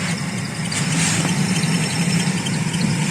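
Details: Toyota Aqua hybrid heater blower: steady fan rush and low hum with a thin, high squeal from the blower motor; cause suspected, not confirmed, motor removed for repair.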